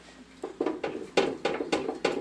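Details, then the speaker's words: Front-loading washing machine with a bad drum bearing: irregular dull thumps about every quarter second as the drum flops loose and rubs inside its tub, also shedding plastic debris into the filter. "you hear that flopping around in there, and when I get it a little bit further apart, I'll show you. This is actually bad enough. It's rubbing on the inside of this drum it's in"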